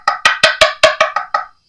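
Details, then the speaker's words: 1980s Fernandez Les Paul fretboard inlay after repair and polishing, previously very loose and sticking up: eight crisp woody taps with no papery rattle, sounding like the fretboard on either side; solid inlay after repair. "Now it sounds just like the wood. It sounds just like the fretboard on either side"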